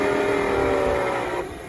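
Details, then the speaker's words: Hoover WindTunnel bagless upright vacuum: motor whine starts loud and steady, then drops away within about a second and a half as the machine shuts itself off. Filter found heavily caked with dirt; fault not yet confirmed; vacuum motor shuts off after start. "shuts off like this, I'm gonna hopefully show you how to fix it."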